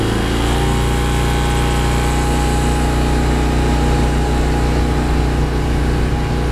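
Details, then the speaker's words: Briggs & Stratton 8 kW tri-fuel generator running on pure propane under heavy load (AC unit kicked on): steady even drone, firm low hum holding speed; much smoother than on gasoline, which needs a carburetor jet change. "there it is running on propane let me see 23 on that one 27 on that 26 Still listen to the motor [Music] underload much smoother much much smoother"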